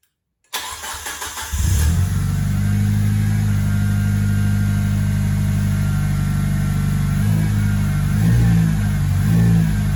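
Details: JDM Mitsubishi Lancer Evo 6.5 Tommi Makinen Edition after no-start fixed by removing a failed, heat-melted 10-year-old immobiliser: cranks and catches at once, steady even idle with a couple of clean blips; normal start and idle.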